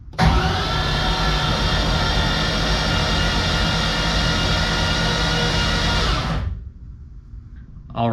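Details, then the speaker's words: BMW E82 pro drift build, ground-up rebuild, first start prep: cranking on the starter with all spark plugs removed to build oil pressure, fast even whir with no compression beats for about six seconds; about 43 psi oil pressure reached, normal. "So, we're building about 43 PSI on the starter, which is fantastic. That's awesome."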